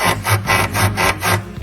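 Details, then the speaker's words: Car raised with both wheels off the ground, stabilizer bar worked by hand: rhythmic dry rasping creak about two strokes a second from worn sway bar bushings, causing a creak over speed bumps and potholes. "Uma buchinha ali, ó. Buchinha da barra estabilizadora."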